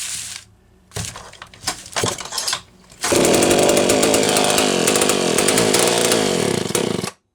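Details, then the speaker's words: Homelite Super 1130G chainsaw after replacing out-of-range condenser and spark plug: scattered sputters and gaps, then rough uneven buzz under throttle that keeps stumbling, losing spark; intermittent misfire, cause unconfirmed. "Oh, that was losing spark. What? What's going on here?"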